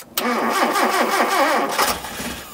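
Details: 1978 Mitsubishi Colt Sapporo, parked in a garage since 1993, first start attempt with fresh fuel in the carb bowls, spark and water: steady starter churn at about five or six pulses a second for under two seconds, turning over without catching. Cranking, no start.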